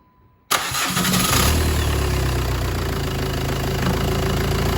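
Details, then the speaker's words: 2010 Jeep Patriot 2.0 CRD (VW 2.0 TDI PD) after oil light came on, first start after replacing oil pump drive, new oil filter and oil; cranks briefly, catches at once, even diesel idle, no knocks or rattles; normal start. "okay no nasty noises by the sound of it so we see all right there"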